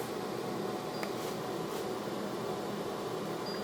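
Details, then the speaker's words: New shop air filtration unit, first test run on medium speed: an even, steady airy whoosh with no rattle or pulsing, running smoothly. "I think just turn it on it's on medium and Auto turn auto off"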